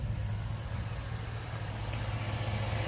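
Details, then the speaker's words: Lowered 4x4 Chevy Tahoe after 5.3 LS engine swap, engine redone, DOD/AFM delete: steady, even V8 idle with low smooth rumble and light fast injector ticking on top; healthy normal idle. "What you hearing are injectors firing. Listen. Man. Mind you, I had to redo this whole engine."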